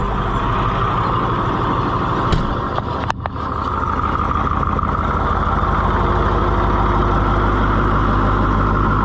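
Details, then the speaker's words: Tractor diesel idling after repeated leaky cooler repair with a slight tweak: steady even chug, a couple of stray clanks early, no knock or miss; some vibration noted, another brace considered; idle healthy. "It does have some vibration. I may make another brace, either from up here down or from one of these other holes to the second hole"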